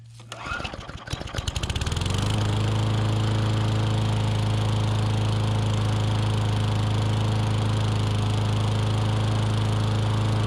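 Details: Curbside Briggs & Stratton Classic push mower engine, restarted after an earlier start. The pull start catches quickly and settles into a steady, even single-cylinder drone with oil sizzling off the muffler, no misses or surging: normal running.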